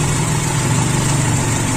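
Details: Toyota Kijang Super 5K carbureted engine on an original Aisan carburetor fitted with FMT jets, float set at the line: low, even idle holding steady with no stumbles; idle now smooth, owner unsure whether an earlier blockage was cleared.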